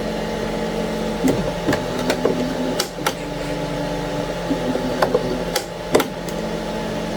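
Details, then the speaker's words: Anycubic ACE Pro filament feeder on a Cobra 3 combo, red slot retracting after the white/first slot was grinding; steady low motor hum with a few light ticks, smooth retract with no clicking or grinding. "yeah the red ons move there's no clicking"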